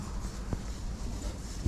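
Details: GoPro Hero 9, a replacement unit showing the same fault as the first, with wind protection on: dull low rumble broken by two sharp pops about a second apart, intermittent crackling and popping in the recorded audio. Cause suspected, not confirmed.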